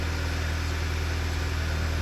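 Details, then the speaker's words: 2009 Volkswagen Eos 2.0T after replacing a faulty ignition coil for a flashing check engine light and misfire: low, smooth, even idle hum with no stumbles or skips while watching the misfire counter; repair successful. "let's bring up that misfire counter sounds good so far right so far so good I think we got it guys pretty straightforward one"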